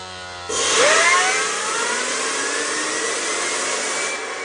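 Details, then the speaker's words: 4.5-inch Tesla turbine with a 1090 kV generator on the back, hit with air and RPM read through a piezo pickup. Whistle climbs from 0 to 20,000 rpm in 2–3 seconds, then holds a steady high whine: healthy spin-up. "This is awesome. And she's at 0 to 20,000 RPM in like under 2 to 3 seconds. That's so cool."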